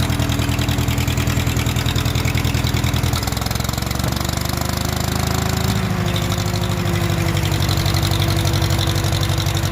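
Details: Farmall H vintage tractor just started: slow steady low thump rises a little midway, then settles into an even beat; idles normally.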